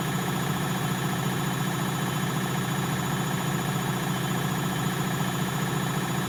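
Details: Bosch WFL246SGB/01 washing machine on an Easy Care 40° test wash, high-speed spin: smooth, steady low hum at constant speed with a gentle, even pulse and no rumble or grinding; bearings fine.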